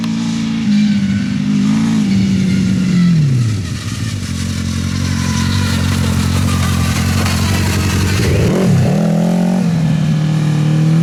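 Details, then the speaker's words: Off-road buggy with a CBR1000 engine on a test drive: revs rise and fall unevenly with a ragged, stumbling note under load; it sounds like a misfire and down on power, cause not confirmed. "It sounds like it's definitely not running right. It sounds like it has a miss, like it's It's definitely not running full power, but this thing is finally drivable."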